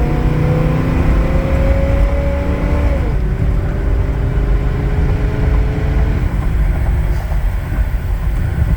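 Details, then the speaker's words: 1977 Ford Thunderbird V8 after exhaust leak fix between catalytic converter and pipe (muffler mud and gasket): pulls hard from low speed through an upshift with a smooth, quiet exhaust and no leak. "it's quiet it's nice I'll flirt here when I straighten out so you can hear that I'm not yanking your chain here"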